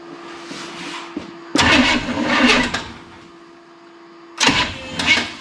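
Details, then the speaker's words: Fire-damaged rat rod with uncertain ignition timing and closed exhaust cutouts: two short bursts where it catches, runs roughly a second and dies because it ran out of fuel, not a mechanical fault; fuel starvation stall. "yeah we ran out of fuel I got to put some gas in this thing but hey it fired"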